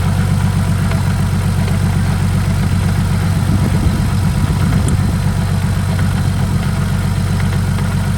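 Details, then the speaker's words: Saab just fitted with a 62mm BorgWarner turbo replacing a 57mm, after an oil leak was fixed: even, deep idle rumble on first start while checking for leaks, with no knocks, ticks or whistle; a healthy idle. "so the car is back together now so what we're going to do is pretty much fire it up check for leaks and everything and see how everything is working"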